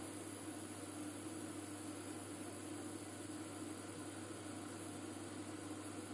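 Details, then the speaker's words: IKEA Tillreda portable induction cooktop at power level nine, about 1800 W, bench vibrating: steady low electrical hum with even fan rush, no pulsing or rattle, quieter than other cookers; normal full-power operation. "put it up to nine all the benches vibrating now this is a lot quieter than some of the others I'll give it that"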